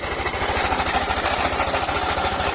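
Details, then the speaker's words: Yamaha NMAX 155 scooter at idle: loud, loose, frightening mechanical clatter, as if the engine were coming apart; cause is a worn camshaft bearing in the head. "Pakinggan niyo po mabuti yung ating motor at nakakatakot po yung tunog niya para pong mabaklas na po yata yung makina"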